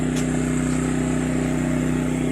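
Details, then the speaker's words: Champion 200961 2500-watt dual-fuel inverter generator on propane, powering an air conditioner and other loads, owner estimates near its 1650–1750 running-watt limit: steady hum, constant low tone, no surging, hunting or misses; normal running under load. "Alright, I figure I'm getting close to the 1750 running watts, or 1650 running watts on propane, I think it is. But it's doing everything I wanted it to do on propane."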